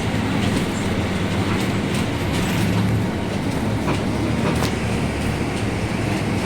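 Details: Caio Apache Vip 4th-generation city bus on Mercedes-Benz 1724L chassis, heard inside while cruising: loud steady low drone under road noise and cabin rattle. Differential described as roaring very loudly; drivetrain growl.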